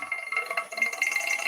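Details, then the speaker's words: Woodturning lathe: harsh high rattle with thin ringing tone as the gouge bounces, chatter caused by forcing the gouge too hard into the wood; cutting freely gives no bounce. "getting bouncing you can hear it that's because i force the gouge to cut"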